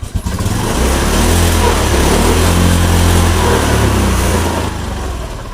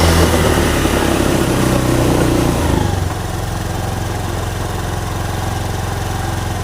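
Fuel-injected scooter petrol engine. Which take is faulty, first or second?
first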